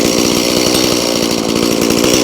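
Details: Stihl MS180C (easy-start) chainsaw brought in as a no-start, now held at steady high revs with an even two-stroke buzz and no misfire or stumble; checked for oiling, dripping a big glob of bar oil; healthy.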